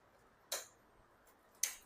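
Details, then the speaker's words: Hero Splendor Plus BS6 (2021 or 2022) with no-start problem, after fixing wires touching each other that stopped the fuel pump: key on gives two short sharp ticks about a second apart; fuel pump priming normally. "इसमें अब जो है supply petrol की आ रही है क्योंकि इसका जो फ्यूल पंप है वह वर्क कर रहा है।"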